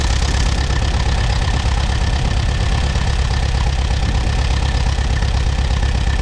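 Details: Allis-Chalmers WD tractor, sat about a year, started on battery and jumper pack; a loud low idle with an uneven stumbling beat as if one cylinder drops out, which cleared soon after, suspected moisture fouling one plug.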